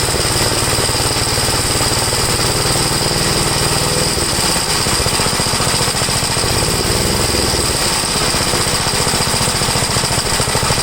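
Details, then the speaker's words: 1962 Gravely L-I single-cylinder, warmed up after a valve adjustment, compression 45. Carburetor high side adjusted; leaning it further stalls it, so it is left as is, seeming slightly rich. Loud, fast, even chatter, a touch heavy. Possibly slightly rich running. "if i lean it out any more than that it will stall but this has a little it seems like it's a little rich but i have to leave it that way for now"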